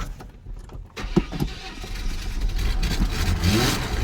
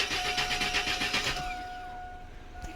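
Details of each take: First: Chevy S10 4.3L V6 after reassembly: short cranking with some gas pedal, then the engine fires and settles into a steady run; slightly reluctant start because plugs were flooded from earlier cranking. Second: Chevy S10 4.3L V6, customer complaint crank no start, fuel pressure present: starter spins the engine with quick even beats but it never fires; crank no start.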